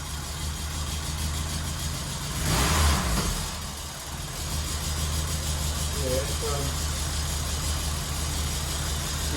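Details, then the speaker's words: Barn-find Mk1 VW Golf GTI idling after a new fuel tank and pumps, not yet serviced. Steady low rumble with an occasional slight waver, a little messy now and then; the idle is quite low. "yeah just oh yeah still a little bit messy now and then no and it and obviously we still haven't serviced it"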